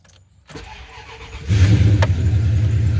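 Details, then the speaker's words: 1996 Ram jumped with an EverStart 1000 A pack: a second of steady cranking, then it catches quickly and settles into an even, strong idle; a healthy start. "Well, seems to be doing the job."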